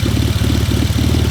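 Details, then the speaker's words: BMW E46 drift car idling with a low, steady thump and an occasional skipped beat. The misfire may be a bad injector or bad wiring, not yet determined. A coolant leak and overheating are also suspected; water was added and it is not running hot yet. "Can definitely hear that midfire now. I don't know if the injector is bad or the wiring is bad."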